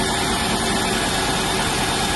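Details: 1995 Range Rover Classic, sat over 10 years, after throttle pedal fix, engine at 6°C: steady even idle with no misses, knocks or hunting; healthy cold idle.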